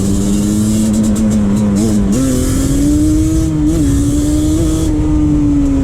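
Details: 2001 Yamaha Banshee 350 two-stroke, ride after exhaust leak fixed with new clamps, boost bottle fitted, tors removed: loud clean wail climbing smoothly with throttle, no puffing or sputter under wind noise; healthy running.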